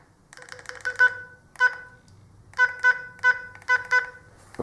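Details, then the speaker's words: Kirisun DP770 radio (rated IP67) after submersion in a sink of water: short keypad beeps sound harsh and buzzy, likely from water in the speaker. Distorted speaker beeps. "well that sounds like there is water in the speaker let's try blowing you know doesn't sound too great"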